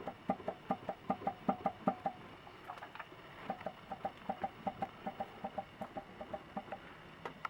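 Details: Toyota Corona 4S-FE engine: sharp, fairly even knocks about two or three a second over a quiet engine, crankshaft knock pointing to worn crankshaft bearings.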